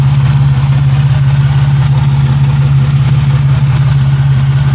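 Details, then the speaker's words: 1997 Pontiac Grand Prix GTP coupe, engine idling right after the belt was fitted: a steady low drone with an even idle beat and no knocking or squealing, which is a normal, healthy idle. "all right joe i got the belt on and she's running running nice"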